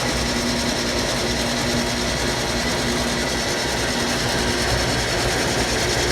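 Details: Antique early Wayne 40 gas pump, long sitting, switched on with its on-off lever: even, fast mechanical whirr with a fine steady ticking, no knocks or grinding; sounds factory-fresh. Normal motor running.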